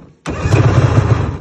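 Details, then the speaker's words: 2021 Polaris Assault 850 snowmobile, which locked up on the trail, started with spark plugs put in: a brief, lumpy start with slow, uneven low thumps instead of a twin beat. Still running on one cylinder; the other has no compression. "putting these spark plugs in still sounds like one cylinder"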